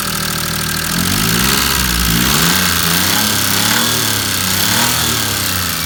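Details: Maruti 800 DX / Alto 5-speed MPFI petrol engine idle hunts and wavers with an uneven, chuffing beat instead of a smooth hum; misfire at idle, cause unknown.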